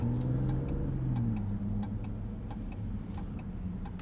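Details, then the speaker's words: 2025 Ram 1500 RHO with twin-turbo inline-6, driving: uneven double tick about four per second, like a galloping horse, over a low engine drone; normal turn signal clicking. "Turn signal kind of sounds like a galloping horse. Galloping rhino, I suppose."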